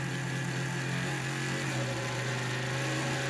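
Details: Intel Foxconn CPU fan overvolted on a bench DC supply, about 15 volts, above its nominal 12 V: loud steady airy rush with a higher-pitched hum; the fan overspeeds and later dead-shorts near 20–25 V.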